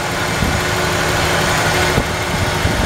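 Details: 1994 Ford F-150, 265K-mile motor, idling with canister vacuum line pulled and capped; uneven loping idle with stumbles under steady hiss, leak still present, may need tightening or new gasket.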